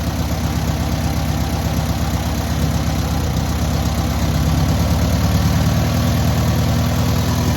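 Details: Newly rebuilt air-cooled VW 1600cc engine at its first start and break-in: even, steady chugging idle lifting slightly midway with no misses, taps or knocks; normal idle.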